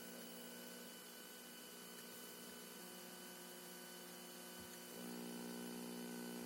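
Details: Junsun 2G+32G Android 9.0 head unit in 2003-2007 Honda Accord 7: quiet constant buzzy whine of several fixed tones, faint crackles, step up near end; terrible digital noise and crackling from the head unit.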